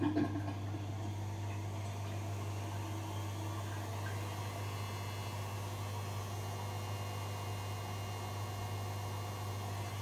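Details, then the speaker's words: Zanussi/Electrolux IZ/XC-range washing machine in service mode, drain and spin test with an empty drum: a steady, even low hum at 1600–1610 RPM, the machine's top speed. No knocks, scraping or surging; normal high-speed spin. "as you can see it says 160 160 and 161 which means 1600 1610 RPM the highest speed test machine can go"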